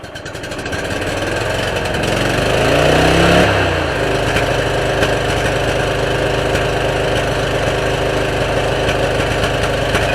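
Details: 2003 Stanley 46-inch garden tractor (Murray model 461008x692A), Briggs & Stratton engine with a new carburetor, air filter and battery: it revs up briefly, then runs evenly with a regular beat and no knocks or misses; normal running.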